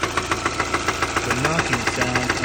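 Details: 2016 Kia Soul+ at 161k idling: sharp, regular knock about five times a second over the idle, seeming to come from low in the engine; owner suspects the driveshaft end. Cause not confirmed.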